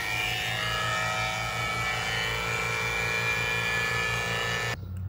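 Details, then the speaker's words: HVAC vacuum pump evacuating a 410A system after condenser replacement, Schrader cores removed: steady electric pump hum with a fixed tone, then the note shifts and drops as the pulled-down hose is opened to the system; normal operation. "So, we've got our vacuum pulled on our hose. We're going to open this up. You hear the pitch change"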